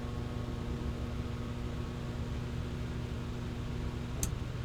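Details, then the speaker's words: Single-phase motor run from a Brasiltec soft starter with bypass contactor, set to voltage ramp: steady low electrical hum with faint fan whir, no grinding or knocking; smooth normal soft-start acceleration. "Vou ligar e a gente vai ver como é que ele vai acelerar. Prestem atenção no ruído também."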